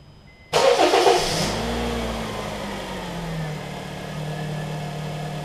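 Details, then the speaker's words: 2007–08 Honda Fit at 178k miles, right after a spark plug replacement with plugs torqued to 13 ft-lb. It cranks briefly, catches right away and settles into a smooth, even idle with no misfire; it runs like a top. "Nothing like a spark plug change. This thing runs like a top."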